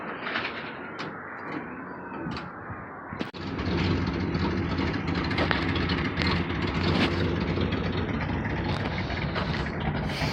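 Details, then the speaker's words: 1986 Trans Am V8 after new plugs, wires, distributor cap and rotor; starts and idles low, loud and uneven but smoother, with raw rasping puff from a massive exhaust leak. "There's massive exhaust leak, as you can hear."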